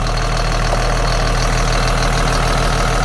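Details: 2005 Caterpillar C7 turbo diesel, 167,000 miles, 12,800 hours: starts right up, deep even idle with steady low rumble, no irregular knocks or puffing; revved, oil pressure shown, zero blow-by; healthy engine.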